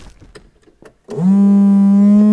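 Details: 1980 Chevrolet Corvette C3 5.7 V8 that sat for nearly 10 years: with the ignition on, the windscreen washer pump cuts in and holds a steady mid-pitched hum without stopping; owner suspects a switch was pushed in, not confirmed.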